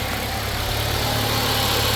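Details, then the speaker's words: 2010 Mercury Mariner/Ford Escape at idle, A/C compressor switched on by cycling it with a scanner; steady idle with an even whirring hum from the compressor, yet the A/C still isn't cold. Cause unknown; a low charge is suspected. "And the compressor is on. Okay. So why is that? Don't know."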